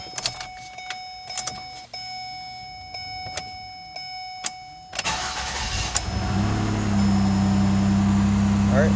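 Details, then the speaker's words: 2009 Ford Escape 3.0 V6 that had a cylinder 4 misfire and a bank 2 lean code (P0174, P0316), first cold start after reassembly with fuel injector work: quick crank, smooth steady idle, no misfires. "it started up it sounds good i don't hear any misfires"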